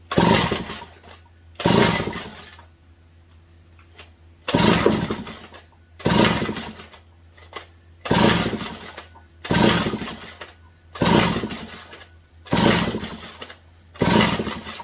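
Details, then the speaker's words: McCulloch 740 chainsaw fed prime fuel, points wire reconnected: short ragged bursts about every 1.5 seconds fading out, misfiring and won't hold a run; owner suspects a failed spark plug, found flooded, losing ignition. "I think we had a spark plug that went. Had it running good, shut it off, and then after that, bleh."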